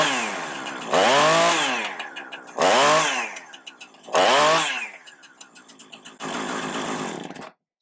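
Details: Husqvarna 455 Rancher chainsaw with about 4 hours total runtime, cold start on half choke with spark tester fitted: clean idle then three sharp revs climbing and falling evenly, no stumble or cutting out; fault appears only after about 5 minutes warm.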